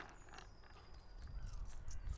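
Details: Riedell 120 roller skate bearing during service before cleaning and regreasing, heard via lapel mic; faint dry, gritty whir with light rattly ticks as the wheel spins down, bearing sounds rough with old grease.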